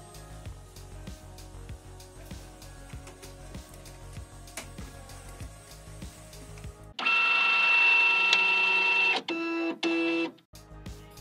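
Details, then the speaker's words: HP Pro M132 scanner after its noisy, crackling scan motor was replaced with one from a donor unit: even whirring as the scan bar travels and stops cleanly, with no crackle or grinding. Operation is normal. "взял движку с донора странный звук шум прошел сканирующий линейка ходит отрабатывает исправно"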